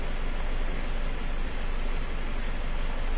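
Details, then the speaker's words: 2002 Ford Focus Zetec engine, starts fine but idles low and lumpy with an uneven beat, feeling almost like an engine mount but related to RPM; stumble of a dead cylinder causing rough idle. "I can tell you it does have a rough idle it feels almost like an engine mount but it is definitely not because we will see that it's related with RPMs"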